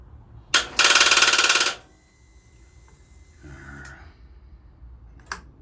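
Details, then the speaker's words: 2012 Harley-Davidson Electra Glide Classic (FLHTC), fairly new AGM battery showing full charge; sharp buzzing chatter about thirteen clicks a second with no cranking; won't turn over, owner suspects starter problem. "she's a little grown and just doesn't want to turn over is it a starter problem"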